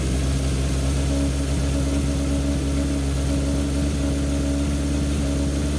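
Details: 1978 Kawasaki KZ650 C four-cylinder, revived after sitting at least 5 years, during carb synchronization with air cleaners off: smooth steady fast idle around 2000 rpm, even drone, no misses or hunting, cylinders balanced; normal fast idle.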